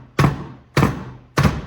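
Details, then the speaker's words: Predator 212 engine from a mini bike, turned over backwards by hand: three heavy metallic bangs and the engine won't turn. There is a large hole in the case, and the cause is a broken connecting rod. "does not turn. You hear that banging sound? So it does not turn. Not good."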